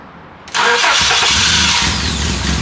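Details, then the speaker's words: 2001 Honda Accord, towed in for crank-no-start with no spark; distributor wiring found cut and broken into the loom, wires lengthened and spliced in correct order. Now has spark and runs, but rough: loud, uneven, hissy idle with unsteady beat. "we lengthened up the broken wires spliced them together with the distributor in the right order uh got spark and now it run"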